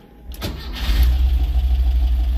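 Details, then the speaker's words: Porsche 914 after the timing was set and a fuse refitted. Starter churns briefly, then the engine catches and settles into a steady, even low idle of about 800 rpm; normal start and idle. "Okay, we've got a nice low idle, 800."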